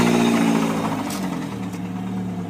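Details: 1999 Chevy S10 2.2 four-cylinder, 5-speed, rebuilt engine that always stuttered; rough idle with a dull steady knock under the exhaust, rod knock suspected.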